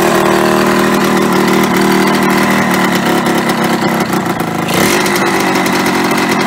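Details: Yamaha RD125LC two-stroke after standing 17 years: loud, fast, busy idle that never settles low; idle set too high, owner plans to adjust the screw on the side of the carburetor to bring revs down.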